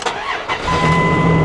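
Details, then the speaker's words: Old two-wheel-drive Dodge Ram truck at an auction: short crank, catches within a second and settles straight into a steady, even idle; a healthy start. "fires right up of course it does it's an old Dodge man what do you expect"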